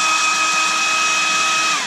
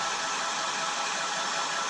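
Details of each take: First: Hairdryer that began making an unpleasant high-pitched noise: a thin steady squeal over the fan rush, sliding down in pitch as it spins down. Owner suspects rubbing or a dry bearing. Finding: high-pitched squeal. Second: Revlon hairdryer with a vibrating buzz, on low speed: a smooth, steady rush of air with even motor hum and no buzz. Normal on low, but the noise still returns at middle speed, so it was not fixed.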